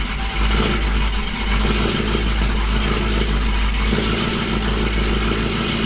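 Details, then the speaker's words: Dodge Hellcat V8 started after head work with new head bolts, old ECU refitted: loud idle wavering up and down as the MAP sensors try to level out. The MAP sensors had to be swapped again. Cause not confirmed. "the map sensors, you can tell they're trying to level out. So we'll let this run. Now it's starting to get it."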